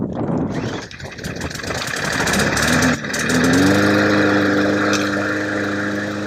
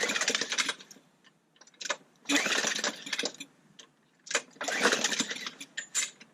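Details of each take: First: Trash-picked mower running after being refitted with loose bolts and given fresh gas; the old fuel had looked flaky. It cranks, catches and settles into a steady, even buzz; it runs normally. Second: Trash-picked mower with gas containing flakes and a disconnected carburetor primer. Hard rope pulls give short rattling turnover bursts, but it never catches and won't start on its own.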